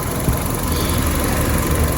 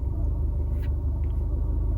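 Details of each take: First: Fiat 500 Lounge (Cat S) idling after a drive up to running temperature, oil leak cured despite a garage's blown-gasket claim: smooth, even low hum with no ticks, knocks or misses; engine runs spot on, normal idle. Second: Cat S Fiat 500 Lounge idle after repairs, lambda reading still swinging system rich/lean: low idle rumble with an occasional sag; far less severe than before, needle no longer going wild and no stuttering toward a stall, but idle still hunting and not right.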